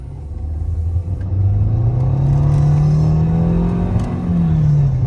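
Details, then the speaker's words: 2013 Nissan Altima CVT under hard acceleration; steady droning whine climbing in pitch and holding, caused by low transmission fluid, with slipping, surging and bucking symptoms. "you hear how it does that like like the little whitening noise uh it is low on fluid and that is the reason um that it's actually doing that"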